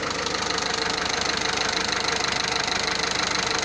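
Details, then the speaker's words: 1.6 HDI diesel at idle, car owned three years with maintenance kept up to date: steady light tick-knock about three per second over the clatter. Another mechanic called it normal, but the owner feels the sound changed; cause unclear. "كاين ميكانيكي اخر قال لي يعني الصوت عادي، الانسيس اش دي كامل يدير الحس هذا، لكن انا حسيت بلي تغير."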